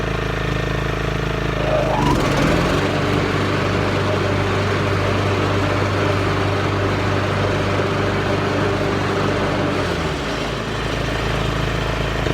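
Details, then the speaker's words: Craftsman LT 1500 riding mower after its broken PTO cable was replaced. The small engine holds a steady drone, then a clunk and an added whirring rush as the deck blades engage and keep spinning. The PTO now engages normally. "But you see, guys, it did turn on. I'm sorry, it did engage. So that was the whole issue."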